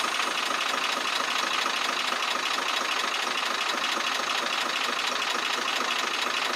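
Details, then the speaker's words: Truck with a six-cylinder 24-valve diesel engine, air filter housing opened, at idle: a steady light ticking a little over two per second rides on the idle. The mechanic suspects tappets or injectors; a separate chuffing is also checked at the intake. "ब यहां से आपने आवाज सुननी है गौर से यहां से आवाज वाजे चुक चुक की सुनाई दे रही है"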